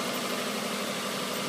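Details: 1994 Subaru Legacy EJ22T after replacing two hydraulic lifters on the exhaust side: even, steady idle with no ticking or knocking, valvetrain sounds healthy after repair.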